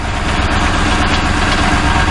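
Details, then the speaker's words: 2006 Crown Victoria Police Interceptor, microphone on the radiator near the catalytic converters; low uneven loping idle, engine and throttle body shivering; noise seems to come from around the catalytic converters; rough idle, cause unconfirmed. "Now, it's running, but as you can see, the engine is shivering."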